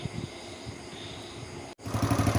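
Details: Honda Dream single after water got into the engine, repaired with valve lapping, new piston rings and a carburetor clean (no boring): revs up crisply after a brief cut with firm, even pulses and no popping; it starts easily.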